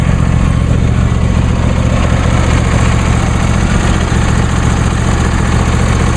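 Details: New John Deere D130 lawn tractor idling after start; a steady, even low hum with no knocks, misses or surging, healthy.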